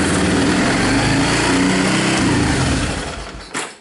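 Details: 2002 Kawasaki Lakota ATV with a no-spark fault, just after a plug-and-play knockoff CDI replacement, on choke: small single-cylinder engine runs with a quick, even putter for over three seconds, then winds down cleanly; spark restored and engine running fine.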